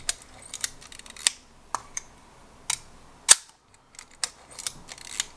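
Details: Pentax Spotmatic camera that arrived corroded and jammed, being restored. After squealing points were lubricated with a drop of oil, the shutter gives crisp, clean clicks with no squeal or drag, and the mechanism now fires smoothly.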